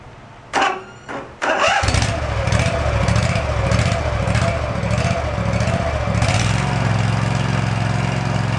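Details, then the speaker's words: Field-find riding lawn mower on a drive test, before service and oil change, throttle all the way up after PB Blaster on a screaming part: two short cranks, then a steady, even putter with no misses; drives well. "yep success excellent looks like it rips around pretty good"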